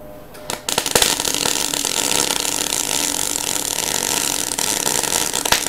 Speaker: was starting to spit again and why is that guys see this is starting really ugly again starting to look like this or this why this is guys it's because i held the torch too far back what i did is i had too much stick out